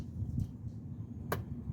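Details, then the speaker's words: 2014 Hyundai Santa Fe, failed emissions with large EVAP leak and vent control circuit open codes; after the wiring was repaired, the vent valve commanded on with a scanner gives one sharp click, a normal actuation. "you hear it click turn it off so i'm just gonna go ahead and cycle it one more time"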